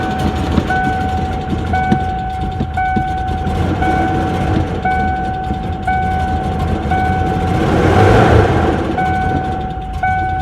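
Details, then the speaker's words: 1994 Ford Ranger long sitting, mice-infested, restart: rough, uneven idle with a lumpy, stumbling beat, not firing on all cylinders, cause not yet found; misfire at idle. "Nope. Still ain't running on all cylinders. But it is running."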